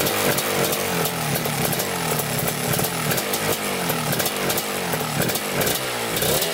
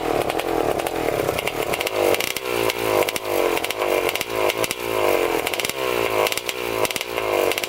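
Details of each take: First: 1987 Kawasaki Tecate 4 250cc two-stroke quad, after backing out the fully closed air-fuel mixture screw: crackly buzzy idle holding steady without stalling or hunting. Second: 1987 Kawasaki Tecate 4 250cc two-stroke quad, first start, airbox and silencer off: open-pipe blips in rough, blubbering, hesitant bursts, running rich.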